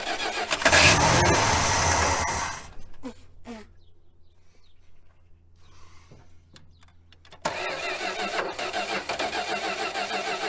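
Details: 1966 Dodge Coronet V8 that sat 20+ years, on starting fluid after jumping the starter. A strained starter burst, a near-silent lull with clicks, then it catches and runs rough, leaking and smoking. Hard starting after storage; carb needs work.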